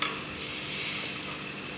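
A fast, light, even ticking, the rear hub's pawls clicking as the wheel turns back; it sounds normal and is not the creak.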